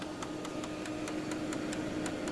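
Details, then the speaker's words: Brother MFC-7220 laser multifunction printer at standby after power-up: steady low hum with soft whir from the cooling fan, which runs continuously; normal. "that you hear the fan running all the time that's gonna be running so you have to turn this damn thing off at all times"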